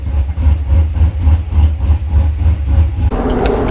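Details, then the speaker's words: 2011 Chevy Silverado V8 after new cam install and head gasket repair: deep, choppy idle with uneven loping beat about three times a second, otherwise steady; healthy big-cam idle. "All right, guys, we are going to try and figure out this one vacuum hose real quick, and yeah, we'll see. But man, this thing sounds good."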